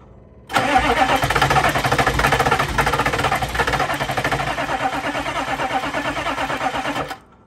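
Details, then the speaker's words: 2000 Chevrolet C3500 4x4 turbo 6.5 L diesel, sat for years, with WD-40 in intake: about six seconds of steady labored cranking, never catches; no fuel from the fuel pump, crank no start with failed lift pump. "We don't seem to be getting any fuel from the fuel pump."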